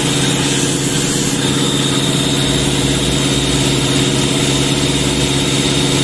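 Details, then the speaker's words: Sullair 260 diesel compressor under load, burning smell: low laboured steady drone that won't pick up speed, not reaching pressure; lack of maintenance suspected; engine bogging under load. "tenemos un problema con el control tenemos un problema con la velocidad no estamos alcanzando la presión y es probablemente por eso la falta de mantenimiento en nuestro motor podría estar sufriendo en la aceleración"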